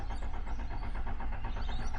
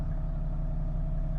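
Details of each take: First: Flood-damaged Toyota LandCruiser HDJ100 with 1HD-FTE diesel, first start after engine work: slow even starter churning over three seconds before catching, a long-crank hard start. Owner suspects air in the fuel filter drawn into the injector pump; no horrible noises once running. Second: Flood-damaged Toyota LandCruiser HDJ100, 1HD-FTE diesel, idling just after a hard start blamed on suspected air in the fuel filter: steady, even idle with a smooth low rumble, no knocks or ticks, no horrible noises.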